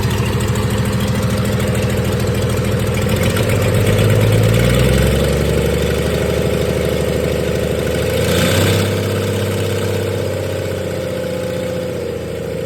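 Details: 1996 Dodge 2500 diesel running with no turbo or exhaust manifold fitted after turbo failure: uneven clatter at fast idle, pulses wavering; rough running, owner suspects injection pump setup and oversized injectors, too much fuel for available air.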